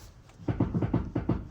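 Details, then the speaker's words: BMW steering rack: rapid hollow knocks, about seven a second, excessive and exceptionally loud, from a worn steering rack bushing; fixed by replacing the bushing with a kit. "in my case it is really excessive and exceptionally loud, then it's most likely a steering rack fault."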